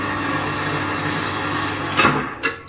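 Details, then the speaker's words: Horizontal band saw on a workshop bench with compressor and pillar drill: smooth steady hum with an even whir, then a few sharp clunks at auto shut-off; running normally. "this is the motor at the side and you can hear it all running and see everything working"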